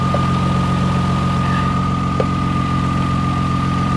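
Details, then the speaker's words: 2000 Toyota Sienna with about half a million miles, hail-damaged salvage-auction van: steady even idle with a faint constant whine, no knocks or misses; running flawless and perfect, though an engine mount is loose. "it's running flawless like absolutely flawless guys I don't I I have absolutely no use for this well listen to this it's perfect"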